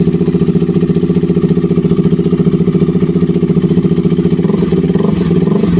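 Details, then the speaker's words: KTM RC 200 single-cylinder after replacing a faulty spark plug cap (1k ohm resistor) that caused stalling, no-start and poor idle. Even idle thumping about two and a half beats a second, steady and unbroken, with a slight blip near the end; running healthy. "Sige so Ayan umandar yung motor Ito lang yung pinalitan natin"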